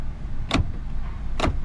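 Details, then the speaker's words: High-mileage Lexus GX 460 4.6, lock-all button pressed with door shut: two crisp solid clunks a second apart over faint engine hum; this door lock actuator works normally, while left rear actuator is suspected faulty. "let's press the lock all button and see what happens to do this one i'll do it with the door shut hmm i hear them"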